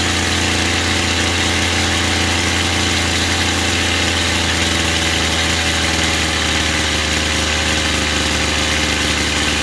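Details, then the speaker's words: Chinese two-stroke brush cutter during carburetor adjustment: idle screw backed off to the right idle speed so the line head or blade doesn't spin. A steady high-pitched buzz that settles slightly midway. Idle speed being set. "Потом смотрим у нас по холостому, отпускаем холостой до нужных оборотов, чтобы у нас не крутился или катушка, или диск."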